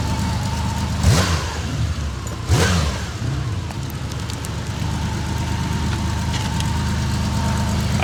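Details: 99-mile 1981 Honda CBX1100 with carbs rebuilt and tuned after sitting 40 years, all fluids new: steady smooth low idle, even beat, no misses or knocks, a couple of passing whooshes; cleanly running.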